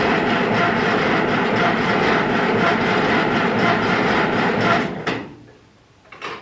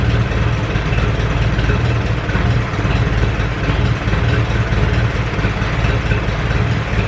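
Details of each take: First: Ferguson 20 petrol/TVO tractor, sat 10–15 years, jump battery to starter, fuel freshly added: steady cranking that never catches; carburetor gummed up and dripping fuel, stuck float suspected, carb to be removed. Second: Ferguson 20 petrol/TVO tractor that sat in a shed about 10–15 years, first run after revival, still leaking coolant, run briefly indoors: steady, even low putter with no misses or knocks, oil pressure good, running cleanly; normal idle.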